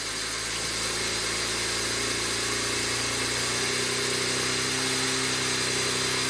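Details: 2009 BMW 335i twin turbo after new OEM camshaft position sensor fitted for no-boost complaint; cold fast idle while warming up, steady even hum with no misses or ticks; running properly.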